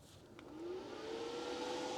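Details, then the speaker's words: LiTime 80 amp lithium converter charger in 2017 Rockwood camper, just switched on and connected to 300 Ah lithium battery: soft whir rises in pitch and settles steady as the cooling fan kicks on; fan working normally. "You guys can hear right now the fan just kicked itself on, so it's obviously working."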